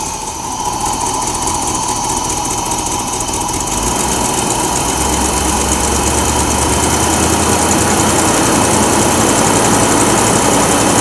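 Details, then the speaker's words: Mercedes 4.5 engine that long ran rough, dwell and timing set only by hand, briefly warmed: from a steady idle it is raced up and revs cleanly and strongly with no misses, knocks or hesitation. Now running normally. "I'm going to race the engine up so you can see how well this engine runs now."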